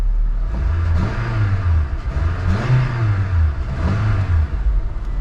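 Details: Honda Civic Del Sol at a salvage auction, engine apparently never cleaned: three smooth, clean throttle blips rise and fall evenly from idle with no knocks or misses. Normal, healthy rev.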